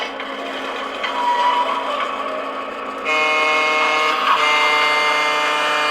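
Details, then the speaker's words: Water-damaged Lionel JLC Pennsylvania GG1 electric model train, with rusted pantographs, bad springs and mineral deposits, running after repair. Steady electric motor whir with gear hum, rising in pitch as it speeds up: normal running. "this engine was water damaged and now it's working"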